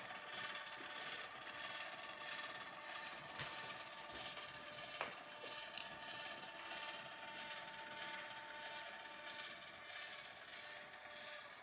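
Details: Edison Gem phonograph (maroon Gem), finished assembly with only the idler gear oiled and speed timing set: soft, even whir of the six-gear train with a few light clicks and no grinding or binding; quiet, healthy gear train that plays beautifully.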